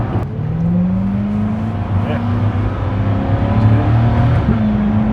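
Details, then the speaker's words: Chevrolet Corvette C8 after adding octane booster and upper cylinder lubricant: the V8 pulls up through the gears with pitch climbing and dropping, popping at every upshift. This is normal, and the timing sounds good. "everything going smooth nice beautiful it backfires every time you shift it"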